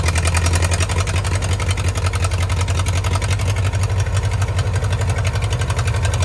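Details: 1934 Allis Chalmers Model M crawler, 300 cubic inch four-cylinder, 85 years old, long unused; loud steady low chuffing about three beats a second, open exhaust, even running; runs pretty good, only the right track clutch apparently not releasing.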